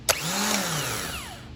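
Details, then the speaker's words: 1999 Chevrolet Corvette Z06 (no-start, burnt wiring harness) starter motor bench-tested by jumping the solenoid switching post: sharp click, whirring spin rising and winding down smoothly, no grinding; starter working, in good condition. "As you can see, the starter motor is working. It's in good condition."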